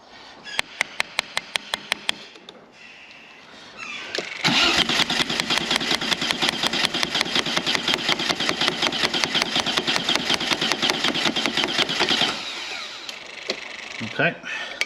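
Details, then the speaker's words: 2 L V6 trike, fuel pump not buzzing even when tapped: steady fast cranking whirr for about eight seconds that never catches; crank no start, seized fuel pump delivering no fuel. "first thing I'm going to check is fuel I can see a fuel pump down there but I can't hear it kicking in"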